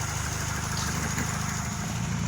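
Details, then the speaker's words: 1997 Honda that died while driving and wouldn't restart: after checks and topping up the radiator, a steady, even low burble with no knocks or stumbles, a smooth healthy idle before a test drive. "now topped up the radiator she's idling perfect we're gonna take it for a test drive"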